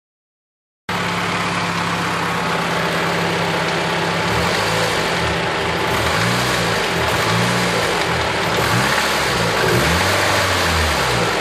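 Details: 1993 Honda Civic engine idling and revved a few times, with an uneven knock under the running whose cause can't be pinned down by ear: engine knocking.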